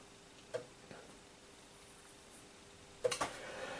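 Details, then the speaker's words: Commodore Amiga 500 from late 1980s, stored 25 years in a cupboard, first power-on: sharp dry clicks from the empty floppy drive over faint hum, the usual Amiga drive clicking; normal. "ah yes funny thing things come back to you the old amiga clicking drive"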